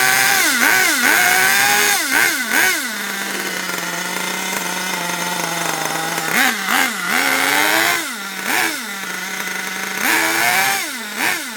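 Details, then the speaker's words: HPI Savage 21 nitro RC monster truck engine after leaning the low speed needle a full turn: high buzzy revs surge and sag in uneven blips, hanging on a low flat drone; still rough. "even though i've leaned it out quite a lot still not very happy is it"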